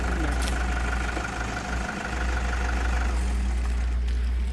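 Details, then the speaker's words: Used diesel car being checked before purchase, started with the handbrake on and heard at the engine: a deep, steady idle rumble with a soft even beat and no injector knocking, so the engine sounds healthy. "जब engine हमने start किया है तो engine में ऐसा कोई sound नहीं था, गाड़ी में कोई साउंड नहीं थी, कोई साउंड नहीं था।"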